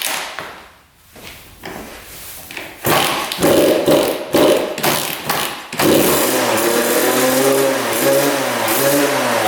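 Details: 1999 Suzuki RM80 two-stroke after repositioning the coil boot, before the plug change: sputtering pops as it catches, then a ragged, wavering rev. Erratic running that wants to stall, later improved by a new spark plug.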